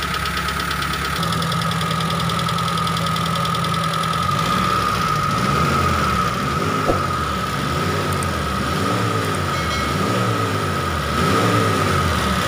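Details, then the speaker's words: T120SS injection engine blipped repeatedly after straightening the dented oil pan off the oil pump pickup: pitch rises and falls with revs, whistle gone; runs clean and normal. "Oke Bro berarti masalah bunyi seperti suling itu adalah benar dari panci oli ini yang terlalu penyok ke dalam terbukti setelah kita Hai bongkar panci oli dan kita kembalikan bentuknya seperti semula sekarang suaranya sudah normal kembali tidak ada suara siulan seperti tadi"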